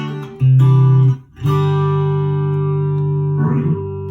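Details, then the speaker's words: Electro-Harmonix vintage 16 Second Delay pedal, after repair of a no-delay fault with thumping foot switches: a held guitar chord cycles at a steady, even level without fading, so infinite repeat and memory work normally. "And then we'll check the infinite. Still got the memory, stuff from the memory. That is working though."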